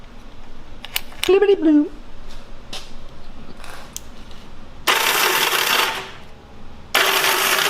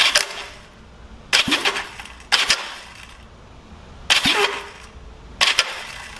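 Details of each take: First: 1970 Honda CL350 before starter clutch rebuild: three short cranking attempts, each a harsh rattling clatter as the starter spins without turning the engine over, from a faulty slipping starter clutch. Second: 1970 Honda CL350 after starter clutch rebuild: five short, crisp starter whirring bursts about a second apart, engaging cleanly with no slipping or grinding; much better than before the rebuild.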